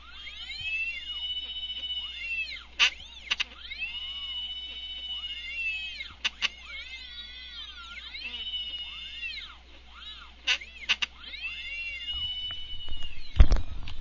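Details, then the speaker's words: Stepper motors driven via GRex under Mach3, bolted to a steel plate: whine rising and falling with each move, light plate rattle at resonant speeds; no lost steps, crisp movement, normal. "As you can hear from the motors, they tend to whine out a bit as they go, and these are bolted to a steel plate, so you'll hear a bit of rattling going on in the background as they resonate when they hit the resonant bands. They don't seem to lose any steps, however, and the movement seems pretty crisp."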